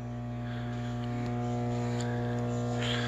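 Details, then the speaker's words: Microwave with its door closed gives a steady low electrical buzz caused by a faulty main control board, which is being replaced. "The issue is when I close the door, it buzzes."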